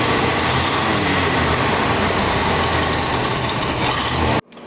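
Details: 1980 Buick Riviera: fast, somewhat uneven, rough idle set high before cutting out suddenly; keeps dying, owners suspect weak battery or not warm enough, unconfirmed.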